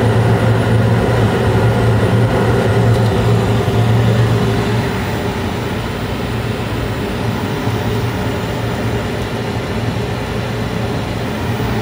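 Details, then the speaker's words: Carrier Infinity 96 gas furnace (58MVB) in 2nd stage, blower coming on about 30 seconds after ignition of 4 clean flames: steady low hum and airy rumble, easing slightly midway, no rattles; normal operation with blower running. "And then you'll hear the blower come on after about a 30-second delay."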